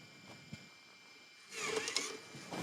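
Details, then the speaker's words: Recapped Macintosh: holding the mouse button ejects the floppy with faint clicks, a short whir and a clunk; the eject mechanism works and the machine then boots off a SCSI zip disk. "All right, holding the mouse pointer absolutely did eject, and it's now booting off the zip disk."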